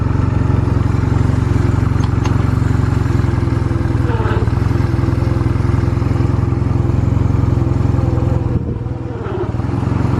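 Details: Stored Honda Rebel 250 Special (MC13) motorcycle at start-up check: a steady, even low putter at idle with a clean rhythm and no ticks or knocks; no abnormal engine noise. Normal running.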